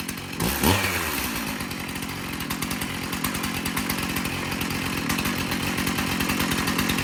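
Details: Stihl MS291 chainsaw, sold new in 2019, test-run outdoors before service: starts at once and settles into a steady, crisp two-stroke buzz with no stumbling or surging; starts and runs fine. The loose bar nut vibrated off.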